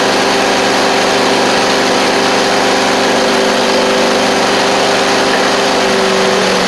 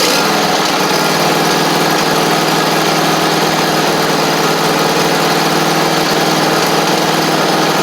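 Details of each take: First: John Deere D140 riding mower, running after carb spray with the fuse-blowing issue fixed: a small single runs steadily with a busy, clattery top-end rattle over the exhaust note. The owner thinks it might need a valve adjustment; excessive valve clearance suspected. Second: Free John Deere D140 riding mower (parked for blowing fuses), after valve adjustment and with the blades freed up: the engine runs steady and even with the blades whirring on top, with no misses or knocks. Normal running with deck engaged.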